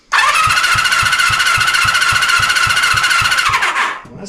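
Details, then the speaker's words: 1974 Honda CB350F four-cylinder under rebuild, compression test on cylinder three while cranking: steady starter whir with evenly spaced but feeble pulses near four a second; reads only 60, low compression. "Let's connect it to number three. Could do the old oil down the cylinder if we wanted to. Uh, okay. 60. Huh?"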